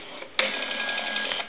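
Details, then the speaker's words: Northern Electric Galion rotary desk telephone during checkout after repair: the dial whirs back for about a second with a faint bell tinkle riding on it; smooth, even, normal return. "and you can hear the that bell tinkle a little bit which is very nice"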